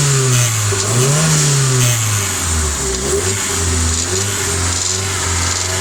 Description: New rebuild sr20det and at about 3k rpm start this noise, it come from the exhaust side, no vtc or westgate play.